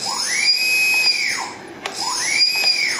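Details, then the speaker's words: Turnigy SK450 quadcopter, Multistar ESC with stock firmware, throttle snapped up: motor whine climbs slowly before reaching high pitch, slow spool-up, not reaching quarter speed quickly; stock ESC responds too slowly, fix is reflashing. "it's really slow doesn't even get to you know quarter throttle or throt quarter speed on the motor so to get the full speed you got to go and you hear how long that takes to spool"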